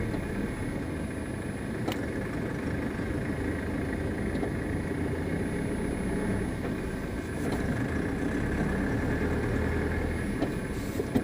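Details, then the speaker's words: GAZelle Next van driving over bumps, only in frosty weather: a few sharp isolated knocks from under the cab; source not found by owner. "ок ребят проблема такая газель next только по морозу на кочках под кафельные какие-то штуки слышны будто услышите поверните направо и это только по морозу не слышно"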